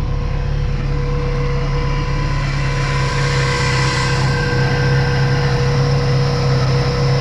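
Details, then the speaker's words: 1982 Dodge Rampage, started on gas poured into the carburetor after clearing bad gas from the lines. Held at a fast idle with a steady drone but a slightly lumpy beat; it runs a little rough, cause unclear. "Oh my goodness, it started right up. It's a little bit rough, but it actually sounds pretty good too."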